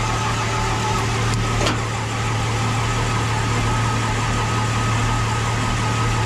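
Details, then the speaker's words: Square-body Suburban V8, overhauled about 5 years ago and barely run, start after fitting a used Edelbrock 1405 carb and hooking up cooling: steady idle with a thin high whine that stays after start, as the starter sticks engaged again. "Starter stuck again. I did that before. I did that once before. Freaking starter gets stuck on."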